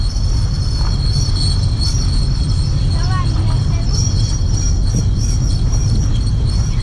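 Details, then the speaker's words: Chevrolet Lacetti automatic rolling at low speed, brake pedal released then lightly pressed: a thin high squeal over road rumble that changes with speed, traced to a stone trapped between brake disc and dust shield after brake pad replacement. "вот щас придавливаю немного на тормоз звук то меняется то не меняется все зависит от скорости движения ну по большому счёту час педаль тормоза не нажата но звук очень мерзкий"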